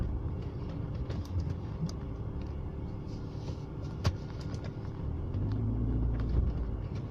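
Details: BMW E36 with M43B18 petrol four-cylinder, rough idle: low uneven rumble with irregular pulses instead of a smooth beat; the fault is intermittent, sometimes fine for a month, sometimes changing with every gear shift.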